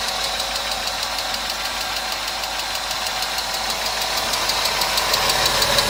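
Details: Engine at steady idle before an additive treatment; light, sharp, crisp, even ticking about three times a second, owner complains of engine noise: noisy hydraulic lifters.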